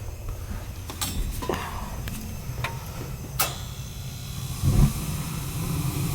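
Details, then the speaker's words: Gas boiler during pre-winter service, burners clean, thermostat called for heat: damper control, steady low rumble with light clicks, then soft whoomp as flame catches; clean normal ignition. "Yeehaw. Good ignition"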